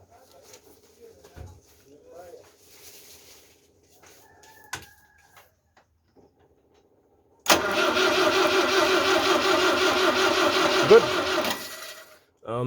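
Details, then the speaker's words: 1974 Citroën DS21 not started for over six years, cranked after cleaning the distributor cap contacts to check for spark. The starter churns steadily for about four seconds, about three turns a second, and never fires. Spark is confirmed afterward. "so let's try cranking we see whether we have a spark this time round"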